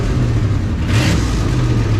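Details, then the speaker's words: 2003 Mustang GT with a swapped-in cammed 2-valve V8, revving: a deep rumble with a loose rattle on top. The exhaust is rattling on one side, possibly hitting the body; cause not confirmed. "Woo! Yeah. That exhaust rattling. Yeah, it's rattling pretty good over on this side."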